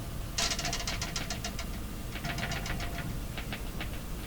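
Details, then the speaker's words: 1940s Philips PH202 tube console receiver-phonograph during first power-up test, sharp rapid clicks about seven a second from the speaker over a low hum while the turntable motor is tried; source of clicking unknown. "that that clicking something that clicking you're hearing is coming from a speaker don't know what to make of it"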